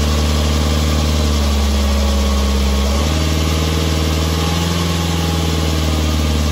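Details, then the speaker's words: BMW 320d E90 N47 diesel, 135 kW, 2011: quiet even idle, then light periodic metallic rattle from back of engine as revs held at 2000 rpm; early timing chain and guide wear, chains due within about 5,000-10,000 km. "as you can hear there's a rattling noise at 2000 rpm and that's the start of that problem so at about five or ten thousand kilometers you should change your chains"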